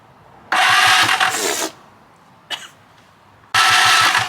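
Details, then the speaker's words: Free stand-up jet ski in good condition, first crank attempt: two bursts of fast, even starter cranking that never fire. The spark check shows no spark, which the owner suspects is the problem; a new plug later gave only a weak spark. "Alright, no spark, so I think that's the problem."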